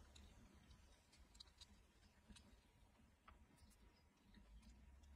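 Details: Skoda Fabia 3 fresh-air flap actuator ticking in the dashboard: faint, uneven light ticks from behind the dash over a quiet low hum; noise analysed, then repaired.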